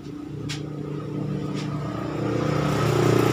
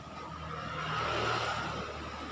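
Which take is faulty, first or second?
second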